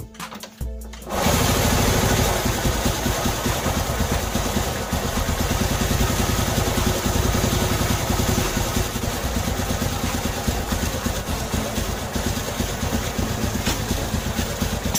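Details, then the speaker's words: Motorcycle engine started after reassembly with the oil already dried out: catches after brief rough cranking, then runs harsh, clattery and uneven; speaker says it sounds like there's no oil, cause unconfirmed. "एक कर्कश ध्वनि है, हाँ, कठोर लावा क्षेत्र में, ऐसा लगता है जैसे कोई तेल नहीं है।"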